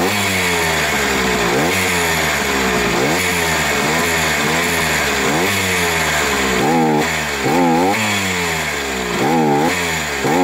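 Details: Sachs 50S moped, freshly overhauled 6-speed engine, bored original cylinder 75 cc, two-ring piston (L-ring plus plain), used Ultra 80 clutch basket with needle bearings, about 1000 km: thin high whine each time the throttle snaps shut. Owner suspects piston rings, but no play found.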